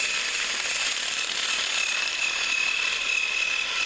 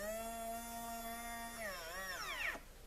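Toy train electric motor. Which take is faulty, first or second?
second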